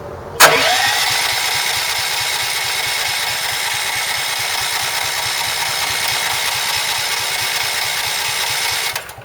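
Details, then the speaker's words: Champion 6,000 W running/7,000 W peak generator, sat about two years, new battery and fresh fuel: steady starter whir with no firing pulses; cranks but won't start, ignition or fuel unknown, carburetor suspected. "here all right so no fire so now we tend to wonder okay is it ignition or is it fuel"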